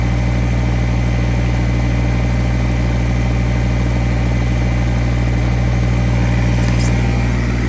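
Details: Kubota BX1850 compact diesel tractor, bought around 2008, idling just after a new ignition switch and new battery were fitted; it now shuts off properly, and it is run to charge the battery. Steady, even chug of about three beats per second with no misses or clatter; normal idle.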